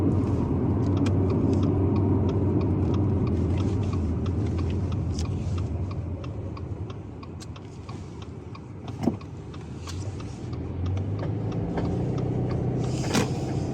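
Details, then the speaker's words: 2019 Subaru Forester near 100,000 miles, driving through a sharp left turn: quick regular pops about four a second over road rumble; suspected worn left-side CV axle joint, not yet visually inspected. "right there that pop pop pop pop let's see if you can hear it now I'm going to do a sharp left turn hopefully you could hear that on the phone but it's quite loud in person"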